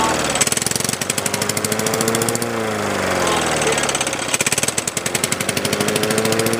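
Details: 1981 Honda HR17 push mower, Honda flathead engine, throttle set to middle (on) position, inoperative blade brake clutch: quick, even firing with brief speed sag and recovery, no knocks or misses; still runs fine after 30+ years.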